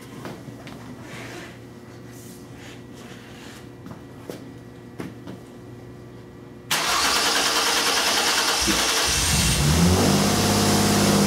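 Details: 2002 Mercury Cougar 2.5L with electronic returnless fuel system, after fixing its no-fuel-pressure fault (new fuel pump had reversed wiring): quiet ticking, then a clean crank that catches at once into a steady, even idle with a small rev; fuel pressure 40 psi.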